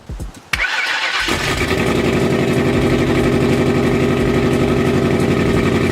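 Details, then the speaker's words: Freshly installed forged 4.6L 2V V8 on original injectors and old tune, start-up during break-in: catches after short crank, rough lumpy idle with uneven popping backfire; cause unknown. "what's all that backfire I don't know"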